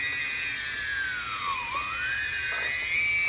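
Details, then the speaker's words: DJI Phantom 2 drone after ECU/motor replacement, motor lock-up fixed; in flight mode the high motor whine dips smoothly with deceleration and climbs evenly with acceleration, all motors balanced, no rasp or stutter: normal motor run. "And the problem that we had earlier with the motor locking up is no longer the issue. You can see everything spins properly now."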